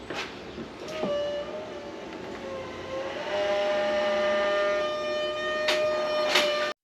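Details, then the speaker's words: Polaris RZR Pro XP with fresh HD wheel bearings, pushed by hand and resisting movement: a dragging squeal rises and wavers from the middle of the driveline, traced to a cooked original carrier bearing, replaced with an OEM one. "The noise kind of sounds like it's coming from the center of the machine, so right away I'm"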